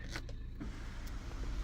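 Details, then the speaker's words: Skoda Octavia 1.9 TDI: low, steady electric sunroof motor hum, smooth with no grinding or catching; sunroof fully working. "Yeah, the sunroof works. Yeah, it's operational. Oh yeah, there we are, fully working."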